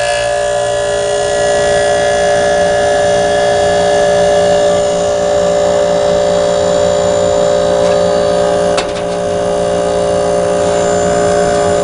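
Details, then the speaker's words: Tecumseh reciprocating compressor in an air conditioner, started outdoors in upper-70s weather on quiet cool: steady, even hum with no knocks or rattles; smooth, normal running. "a smooth running compressor right there"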